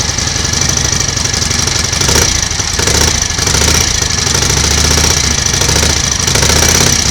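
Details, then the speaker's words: 1938 Matchless 990 cc Model X V-twin, first start after several years laid up, choke closed: a loud, lumpy beat with even firing and busy mechanical clatter but no heavy knock. Sounds okay mechanically, some exhaust smoke from oil. "sounds okay mechanically bit of smoke from the exhaust so it's obviously plenty of oil getting in and around the engine"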